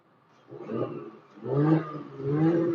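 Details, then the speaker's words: Audi in Dynamic mode with exhaust valves open, Comfort mode silent; three deep throaty revs swelling and fading with a rich burble; normal sport exhaust sound, valves open. "so I could put it in Dynamic and you hear it the exhaust sounds louder because now the valves are open"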